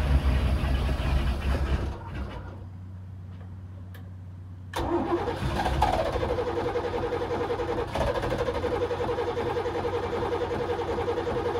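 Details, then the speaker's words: Newly installed Edelbrock 1410 carburetor after a choke adjustment, engine sat several days: fires after a short pause and settles straight into a steady, even idle with no stumble, better than before the adjustment. "I don't know that started pretty good but see right after the key the ancient cranks see she went to normal working condition right where before she would like kind of that you know like I didn't like it the way sound"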